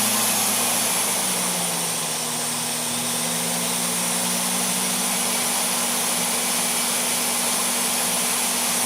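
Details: ApolloSpray digital turbine spray system switched on and speed control turned up: smooth airy whine rising and settling into a steady even hum with no rattles or surging, normal turbine spin-up.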